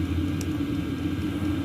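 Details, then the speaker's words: Chinese diesel air heater installed in van, throttling down at about 16°C cabin: steady even low hum with fan whir and occasional fuel pump ticks, no misfire; running smoothly on low. "all you'll hear is the fan blow a couple little ticks for the fuel pump okay so this is what she sounds like we're just kind of idle waiting for the temperature to drop"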